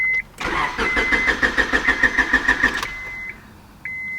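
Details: Honda Civic, head gaskets replaced in 2019, broke down with a crank but no start. Starter churns steadily about three beats a second with no firing, dash chimes around it. Crank no start from fuel pump failure.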